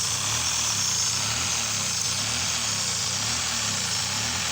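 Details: 1992 Mazda MX-3 1.8 L V6, 5-speed, idle air control valve faulty plus suspected vacuum leak around the air box: uneven, loping idle with irregular low pulses under heavy hiss; leak not yet located.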